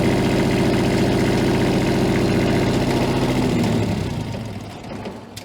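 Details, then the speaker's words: Diesel pulled from 13° cold, thermal camera watching exhaust manifold temperature: runs with lumpy uneven beat then winds down and stops; cylinder number three not firing, owner suspects frozen water in fuel system. "that can tell us which cylinder isn't running if any all right let's try and fire this thing up again for a minute see what happens here yeah it looks like cylinder number three is not firing at"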